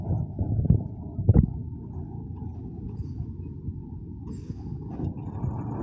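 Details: Mercedes 917 truck with OM366 diesel just after engine rebuild with new piston rings and bearings, in break-in; low, even idle rumble with no knocking or tapping, running smoothly.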